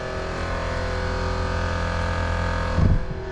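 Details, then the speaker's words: Tesla Cybertruck air suspension compressor with solenoid air valves, raising ride height to very high in off-road mode; steady fairly quiet electric hum with even tones; compressor running normally. "There we can hear the air compressor. It's pretty quiet, and in normal situations doesn't run very much."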